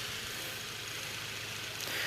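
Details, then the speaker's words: Victor Junior electric fan from the late 1920s or early 1930s, once written off for a rusted-solid motor and possible winding damage, now revived: steady, even whir and low motor hum, no rattles, oscillator working. The blades were noted as off balance. "this thing's running pretty good for something that I had written off years ago it's doing"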